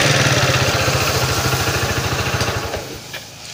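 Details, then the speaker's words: Yamaha Mio Soul carburetor scooter emitting white smoke, mechanic suspects worn piston rings before teardown; small single-cylinder idling with steady low putter, about three pulses a second, then dying away. "Jadi kalau motornya ini berasap yang disebabkan oleh ring seher yang sudah pasti kaos ya"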